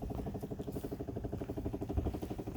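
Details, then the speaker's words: Chevrolet Impala parked with nobody inside: fast, regular low pulsing about eight beats a second keeps going; source unknown. "okay y'all I am out of the vehicle nobody's in it you hear it it's still doing"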